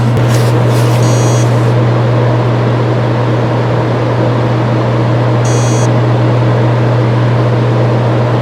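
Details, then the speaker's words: Seagate Exos X18 16TB helium enterprise hard drive at power-on: no platter spin-up over the background hum, only short beep bursts. The drive never starts, likely because the heads are stuck on the platter after not parking on the last power-off. "那第三段几乎没有盘片转动的声音，只有一个报警声，硬盘呢是压根儿就没有启动。"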